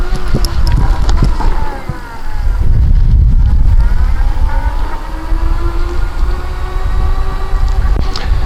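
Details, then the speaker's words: Hoveround MPV5 power chair with 5-inch electric seat lift and HD geared motors: geared humming whine rises and falls in pitch as the chair speeds up and slows over rough ground; normal, healthy heavy-duty motor noise. "regular motors these motors you can hear them when they slow down and when they pick up speed you'll hear the humming which is great that tells you you have good motors"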